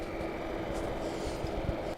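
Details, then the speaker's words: Lavolta BPS-305 30V 5A bench power supply on power-up, mic moved closer: relays click, then a steady airy fan whir with a faint hum, a noisy cooling fan. "let's power it on and you can immediately hear that it's a bit noisy you can hear the relays clicking when it powers up and you can also hear the fan"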